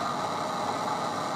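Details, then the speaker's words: PC audio output: a steady, hissy buzz with a constant mid-pitched whine in the speaker, unchanging. It appears once only the left signal wire is connected, with no signal grounds, so the only ground is through the power ground. Interference noise. "as you can hear we've got this awful noise just to prove that the signal is getting through i'll turn that all the way down"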